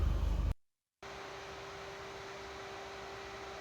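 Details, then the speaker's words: Noisy R53 Mini Cooper S, warmed up: after a short gap, an even, steady motor hum with a soft airy rush as the radiator fan cuts in; thermostat opening, no cooling-system airlocks, normal fan operation. "a very noisy car but it's good to hear that the uh the fan sticking in that means thermostat opens means the radiator's SC hasn't got any airlocks"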